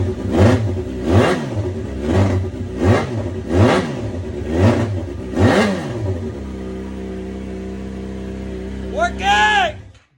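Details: 2011 Yamaha FZ6R just after fuel pump replacement fixed a no-prime fault: six quick, crisp throttle blips, then a smooth, steady idle; engine pulls and returns cleanly, running normally.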